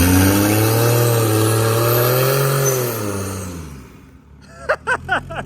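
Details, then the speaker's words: Lexus IS300 with CT20 turbo conversion, first start-up, power-braked against the front tires; engine note climbs under load with a rising turbo whistle, then fades: turbo spools up immediately, healthy. "It sounds freaking sweet though. You can hear the turbo just spool up. Yeah, turbo sounds cool. Yeah, spools up immediately."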